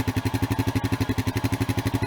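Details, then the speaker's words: Bone-stock 2016 Honda Rancher ATV, 23 miles and 3.9 hours: steady even idle thumping about nine or ten beats a second with no knocks or misses; normal idle, no exhaust modifications. "That's what it sounds like when it runs. There's no like exhaust or anything or any modifications. It's just a bone stock Honda."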